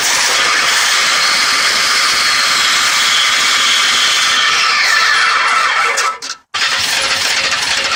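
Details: 1983 Ford F100 inline-six truck at engine start: a loud, harsh high-pitched screech almost drowns out the motor underneath.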